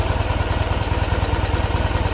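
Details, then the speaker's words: 1973 Ural M66 with 948 km, 6-volt contact-breaker ignition and two exhaust pipes, at idle: soft, even low thumping with a steady beat, only intake and exhaust audible, no knocks or ticks; normal healthy boxer twin idle. "вот он звучок в принципе не слышно ничего кроме звука сосо воздуха и выхлопа"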